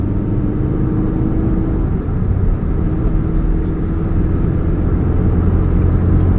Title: What's that Humming Sound, Catalytic Converter Leak, 2013 Chevrolet Spark, 29 July 2015, GP049051